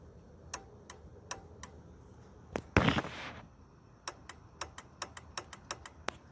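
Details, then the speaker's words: ABS solenoid on the 1996 Land Rover Discovery itself, each solenoid actuated from the battery with a starter button: sharp single clicks, then about ten in quick succession, each snapping cleanly; solenoids working, not stuck. "make sure it's operating make sure you hear it click if you can't hear it click if you cannot hear it click it's probably stuck"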